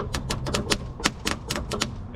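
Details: 1963 Ford Galaxie that won't start: rapid sharp clicking from the starter, about four clicks a second, with no engine turnover; the battery may be dead or the starter stuck.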